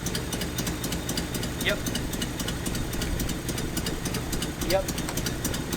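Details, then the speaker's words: 1981 Nissan 280ZX six-cylinder, five-speed, sitting about 15 years, with injectors tested one by one while running: a rough, uneven idle with light regular ticking over a lumpy beat. The misfire is from a rear injector that isn't firing. "yep so this injector back here is not firing"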